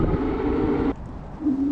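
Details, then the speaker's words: HyperScrambler 2 motorcycle on a cold day, before applying anti-squeal paste, newly replaced brake pads: steady droning tone while braking, dropping away then returning at next stop; disc brake squeal. "so I try to mitigate the the squeal and not bother the heck out of you guys and blow out your eardrums but it might get a little loud here so watch out"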